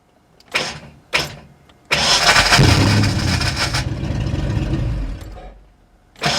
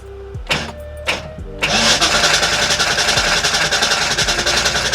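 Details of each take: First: 1989 Ford Mustang GT first start after sitting over 10 years, fresh oil, fuel flowing through rail: a few short cranking bursts, then catches and runs steady for a few seconds before dropping off; engine starts. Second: 1989 Ford Mustang GT after sitting over 10 years, fuel flowing through rail, oil pressure built from cranking: quick, fairly even starter churn about 3.5 beats per second, never catching; crank no start from dirt-clogged fuel injectors.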